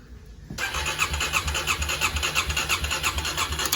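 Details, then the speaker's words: 2009 Kawasaki KLX250S, long-sitting, after replacing a cracked 20 A fuse; spark present: steady starter cranking about three pulses a second that never catches; suspected flooding or bad gas, carburetor thought gummed, needing cleaning. "It won't turn over all the way though. It won't crank all the way. We're thinking that it's probably just flooded or there's some bad gas in it."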